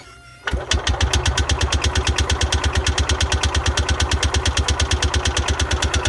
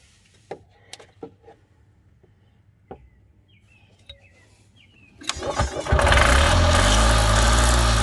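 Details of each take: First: Parcar golf cart petrol engine with a new fuel line and carburetor primed from a squeeze-bottle tank: steady starter cranking at about three beats a second, never catching. Crank no-start because the choke was off. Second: Columbia Parcar (Freightliner-badged) golf cart that would not turn over and was said not to get fuel. Old gas still in tank. Catches after a few clicks and settles into a steady, even low drone with no misses, oil smell present: normal idle.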